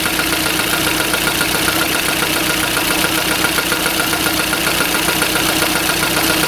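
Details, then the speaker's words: Engine at idle (85–86 dB), a quick regular tapping about four per second that stops when the plug is pressed with a hammer; camshaft knocking from excess axial end play, fix is having a turner take about 0.5 mm off the plug. "стук пропадает, когда нажимаем сюда молотком. Нужно эту заглушку токаря отнести, но перед этим нужно замерить осевое смещение распредвала, чтобы не перестараться."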